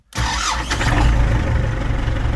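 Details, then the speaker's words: New warranty-replacement geared starter on an MTZ-82 tractor, battery at 12.3 V, tractor completely cold after overnight discing: a thin high whine rides over heavy cranking until the diesel catches; starter works well but the whine is unfamiliar to the owner. "В общем друзья все работает и отлично работает вот только как-то непривычно такой звук при пуске вроде воет"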